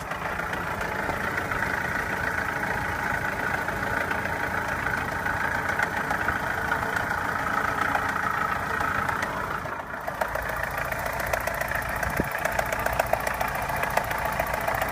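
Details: Opel Omega A Caravan 2.0 at idle with two knocks, one diesel-like clatter and one tapping, faint and uneven about three or four a second; source unclear, engine knock.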